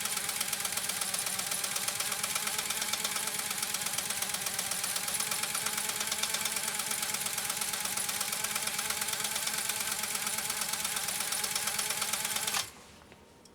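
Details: Pfaff 130-6 sewing machine with an embroidery kit sewing its first decorative stitch while the stitch width is varied. Quick, even clatter of about three stitches a second with a light whirr, stopping cleanly: normal sewing operation.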